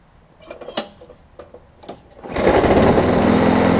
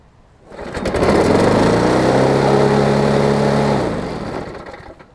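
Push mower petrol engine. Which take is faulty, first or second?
second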